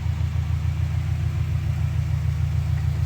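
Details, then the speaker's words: Subaru Forester with big turbo and stage 2 cams, refitted after fixing head oil leak (loose bolts): deep even cranking three to four beats a second, never fires; owner suspects cam timing or plugs. "oh guys I have no idea why it's not starting it started the other day before I pulled it out and I haven't changed anything"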